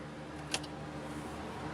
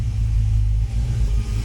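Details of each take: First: 1966 Mustang with roughly 289/295 cubic inch V8, newly fitted Aces Killshot EFI replacing FiTech, idle set about 800 rpm, untuned; fires smoothly, steady even run, pulls away smoothly on maiden cruise, no misses or knocks. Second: 1966 Mustang with FiTech EFI, idling out of gear: a deep, lumpy idle with an uneven beat, periodic dips and a flat sound, and the car shaking. Misfire traced to no fuel reaching the back corner cylinder.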